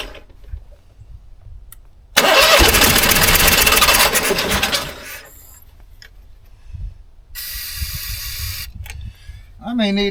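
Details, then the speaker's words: 15-year-old Onan 5500 RV generator, sat at least 6 years with bad gas, after priming air out of the fuel line: loud cranking bursts that catch briefly and die; won't start, code 36, owner suspects a fuel problem such as a stuck float bowl. "this sounds like a fuel problem to me"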